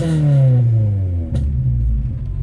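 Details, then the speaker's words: 1989 Honda CRX Si on its first test drive after sitting outside about 3 years, oil topped up from 1.5 quarts low, almost no fuel (owner believes it needs 91 or 93). The engine stumbles and dips unevenly while accelerating, a sputter with the cause unclear. "She got a little sputter."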